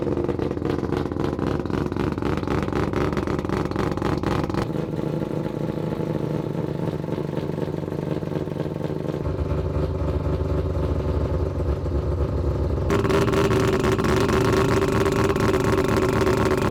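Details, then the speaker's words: Three-rotor Mazda RX-7 idling with a choppy, raspy exhaust note and extra puffing from several places; exhaust leaks because the downpipe was not fitted properly. "we've got exhaust leaks uh the guys didn't put on the downpipe properly and so it's you can hear it coming from multiple sources"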